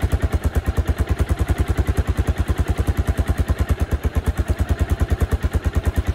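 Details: 1986 Suzuki Savage 650cc single, revived after many years with new coil, fresh gas in the carb, oil and battery, aftermarket Aprilia can fitted: strong even thump about three beats per second, no misses or knocks; runs normally.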